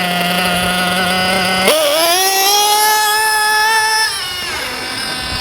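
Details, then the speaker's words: JQ Products THERTR nitro RC engine during break-in: idle starts high then slows; on acceleration after standing 10 seconds it climbs lazily with much smoke; low-speed needle too rich, to be leaned. "so first you can hear that the idle is kind of high and then it gets slower and then when I accelerate there's going to be a lot of smoke and it's going to accelerate"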